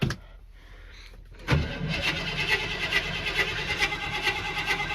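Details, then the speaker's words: 351 V8 truck that had sat about a month, started with the foot to the floor and possibly needing pumping: a short crank, it fires at once and settles into a lumpy but steady idle with no knocks. Starts fine. "Good old 351. This truck right here, I'm telling you. This thing will run no matter what. This thing's been sitting for months too."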